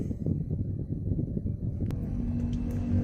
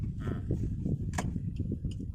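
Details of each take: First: Suzuki Ertiga automatic after replacing the front CV joint boot, stabilizer link and shock support, road test over rough pavement: only tyre rumble and soft road taps, with no clunk or "klek" from the front end. The suspension is now quiet. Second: Suzuki Ertiga automatic driven over speed bumps and rough road: irregular low kluk-kluk thuds and clunks under road rumble all along the drive; worn front suspension, with CV boot, stabilizer links and shock supports due for replacement.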